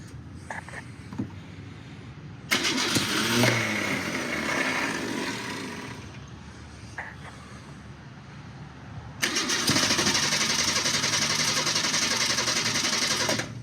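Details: Car sat about 17 years, no radiator, fuel squirted in, throttle linkage broken so cracked open by hand: two long stretches of fast steady cranking, three to four beats a second, never catching; crank no start.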